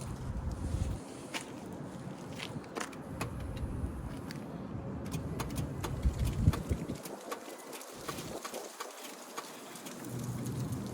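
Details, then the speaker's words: Auction vehicle on a start attempt: sharp, irregular clicks with no cranking or engine catching; the starter is clicking but not engaging. "You can hear it clicking. It's not engaging the starter on this one."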